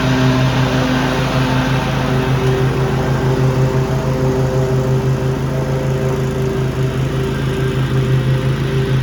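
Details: Cub Cadet ZTS2 zero-turn mower, twin cylinder, running after a coil fix (it used to drop a cylinder after about 5 minutes): steady, even speed and constant hum with no stumbling or dropped cylinder; healthy.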